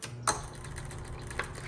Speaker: you can hear the the motor i'm gonna open this up actually i don't know if you can see it but the motor is right here and it's turning